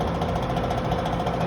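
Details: Home air conditioner condenser fan motor: rapid, busy sewing-machine-like mechanical chatter over the fan hum; a previous service blamed the motor shaft, owner believes the motor is faulty despite technician saying it's fine.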